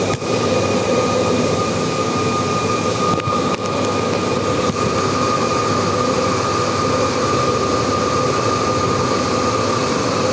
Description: When the pump stops, the high pitch whistling sound starts at around 1 minute 30 seconds and turn into a loud whistling sound in my unit